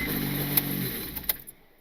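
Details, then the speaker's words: Turbo Honda Civic engine, blown during a wide-open-throttle pull, started after leak-down test showed valves fine and with no belt tensioner: runs briefly with sharp metallic clatters like chains rattling, then shuts off; severe internal engine rattle. "Okay, that did not sound normal at all. That sounded terrible. That sounded like a lot of like chains rattling."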